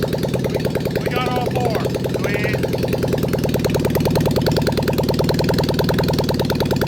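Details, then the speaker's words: Abandoned 1980s Suzuki Quad Sport 230 quad with a swapped SOHC Honda CB750 four-cylinder engine, first run in years after carb bowls cleaned, no pods or exhaust fitted: uneven lumpy choppy idle; owners say it runs on all four but won't run right until pods and exhaust are fitted. "it was kind of idling man yep i mean she needs well she's gonna need pods yep it's gonna need exhaust yup it's it's not gonna run right until uh we get pods and exhaust you know"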